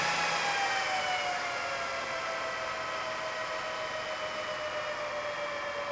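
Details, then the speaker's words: Meanwell RSP power supply fans inside a BLF188XR LDMOS amplifier, previously jet-loud, turned down to a low speed: smooth, even fan rush falling in pitch and getting quieter; normal fan running at reduced speed. "it down some more whoa still working I think that's what it was that's really low now as you can hear"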